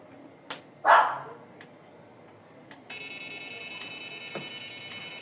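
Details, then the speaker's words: Nemtek electric fence energizer, with a breach simulated using a jumper. A dog barks, then a steady high-pitched alarm tone starts and holds, continuing until shut down or power is lost; this is the fence-breach alarm. "Now, the alarm has gone off. You can hear that sound telling you that the fence has been breached. Security breach here."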